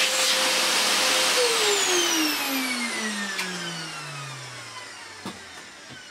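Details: Electrolux Filtaire 1600 W vacuum cleaner, dirty unknown-fault machine, first power-on test before stripdown: high motor whine falls smoothly as it coasts down after switch-off, no grinding or rattle; motor healthy.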